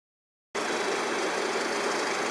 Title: RAWLING ENGINE NOISE 2